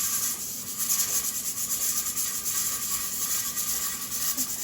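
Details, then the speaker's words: Pressure canner canning chicken, heat on high after steam venting: steady hissing steam with a fast, faint rattle as the jiggler weight rocks; normal pressure regulation. "you can hear the little jiggler rattling on the other canner, so we know that's working."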